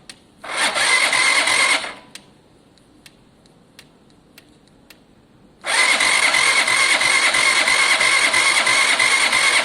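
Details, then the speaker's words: Zontes motorcycle engine, possibly left sitting out, with water suspected in the oil, first wouldn't compress on the kickstart; now two bursts of starter cranking give a regular chug with compression, as the lightly seized pistons have freed up. "That's an engine with compression. That goes to show you guys. Oh, hang on. Oh, we've also got a kickback. You know what's happened? The pistons were lightly seized there."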